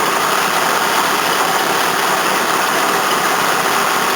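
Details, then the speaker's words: 1981 Toyota Corona RT132R, 18R-C engine, hot after a drive: idle buried under a steady gritty rushing from a worn water pump bearing plus a couple of squealing belts; timing chain quiet when hot. "That's all I can hear, water pump and a couple of belts squealing. Oh, that water pump sounds bad."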